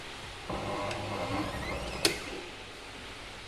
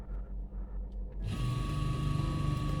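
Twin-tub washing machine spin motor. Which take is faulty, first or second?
first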